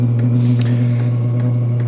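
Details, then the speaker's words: 5-8 kW diesel heater on low setting, fuel pump at 2.5 Hz, fan at 1450 rpm, 22 ml pump: loud steady low drone with a faint higher hum and soft pump ticks; horrendous noise at low fan speed, cause unknown. "I'm gonna have to find the RPM when it doesn't make that noise"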